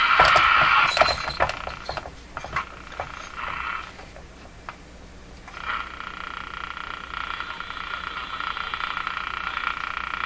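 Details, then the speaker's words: Electrohome Cosmic tube radio after replacing its last three capacitors: static hiss with quick, fairly regular ticking, a few clicks a second, from outside interference whose source could not be found; periodic ticking interference. "i'm going to grab a portable radio and i'm going to go off and try to hunt down this sound it's ticking while i can"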